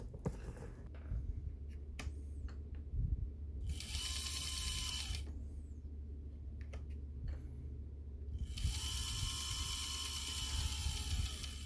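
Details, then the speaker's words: On30 Bachmann Pocahontas Lumber rail truck model, listed as not running: fast dry ratcheting clatter in bursts whenever the motor is powered, skipping instead of driving; cracked drive gears. "Oh, it is trying to move. Well, it was listed as not running. Sounds like we got a gear issue here."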